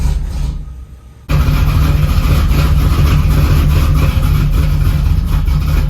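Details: Supercharged Camaro Z28 on first fire after reassembly: a short crank, then a loud, deep, lumpy idle that hunts a little; rough idle, still needs carb tuning and timing adjustment.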